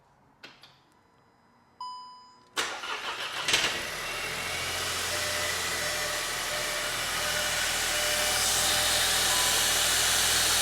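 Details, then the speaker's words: Crash-damaged 2023 VW Taigo being rebuilt, started after the engine refit: cranks, catches and idles with a loud hissing rush because the air intake pipe on top of the engine isn't clipped on properly. "alate sounds a little noisy all that belt tensioner that's that air pipe on top it's not click on properly can you hear it"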